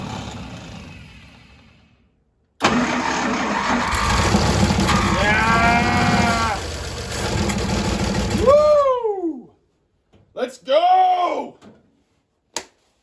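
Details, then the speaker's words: 1952 International Harvester L112 engine, unrun for decades, after a new 12-volt ignition coil fixed the no-spark problem. It catches at once and runs about six seconds, hand-fed gas and starter fluid, though not steady overall. The coil still gets hot. "So it will run, which is awesome. Didn't get it to run steady, but that's not too surprising because I'm baby feeding gas and starter fluid to it."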